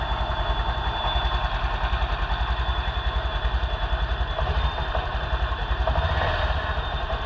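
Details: Honda scooter (Beat/Genio/Vario type) that died suddenly after a rat chewed a wire. After repair with a new Brisk spark plug, added wire and the fuel pump on, it idles with a steady, even putter and no misfires or knocks: normal.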